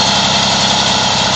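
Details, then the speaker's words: Two-stroke Moby moped idling after the variator was reinstalled with a thinner 4 mm shim in place of the too-thick shims. Side-to-side play is gone and it holds a steady buzzy idle with no belt-drive rattle or clicking. Normal idle. "as you can hear from the difference in this video to the first video in this thread uh you don't hear that rattling noise anymore"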